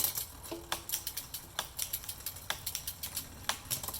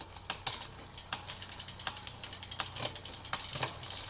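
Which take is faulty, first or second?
second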